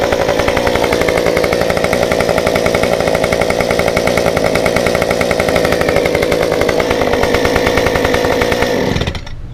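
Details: Stihl 193T climbing saw with muffler mod, limiters removed, ~8–9° timing advance, 93 non-E fuel, 16-inch bar; hot restart after 5 minutes off, holds a crisp, even high-rev buzz about nine seconds without stumbling, then winds down cleanly; runs normally.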